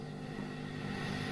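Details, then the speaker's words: Fender blackpanel Super Reverb tube amp (two 6L6 power tubes, tube rectifier), idle with nothing played: steady rushing hiss over faint low hum, described as wind noise and frying-pan crackle plus scratchy pots. "we have wind noise we can hear a frying pan and we have some scratchy pots"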